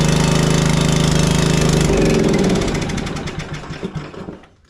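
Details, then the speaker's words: Craftsman 30-inch rear-engine riding mower after no-start fix (voltage and safety switches checked): small single runs with a hard, uneven chugging beat, then stumbles and dies; rough running, carburetor suspected. "like we might need some carburetor attention or something of that sort uh from a not starting standpoint we definitely fix that"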